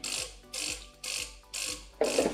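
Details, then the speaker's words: DeLonghi Cappuccino espresso machine after repair, heater up to temperature, old hoses in place. Rhythmic hissing spurts about twice a second, ending in a stronger gush as water reaches the spout; the pump is delivering normally. "Słyszę jakieś dźwięki. Słyszałem jakieś parowanie, ale to chyba coś było po prostu mokre. Słuchajcie, woda leci."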